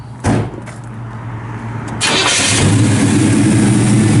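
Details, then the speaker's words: 1969 Chevrolet Chevelle Malibu V8, frame-off restored, normal start: brief crank, then it catches at once and settles into a strong, steady idle with an even beat. "It fires right off."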